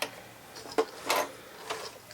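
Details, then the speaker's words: White 999 sewing machine, probably over 40 years old, hand wheel turned slowly before oiling: sparse dry clicks and a scraping metal-on-metal rasp. Dry mechanism lacking lubrication. "there's still a little noise in the bobin area but well little noise isn't necessarily a big deal so I'm just going to add little teeny drops of oil all along the needle bar"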